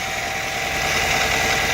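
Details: 2005 Nissan Altima that would not start, revived by cleaning the intake sensor, fitting a fresh filter, sweeping sand from the intake manifold and adding 10W-40 oil plus engine repair grease; hood open, alternator running, belts look okay: steady, even idle, smooth hum with faint whine, no knocks or misses.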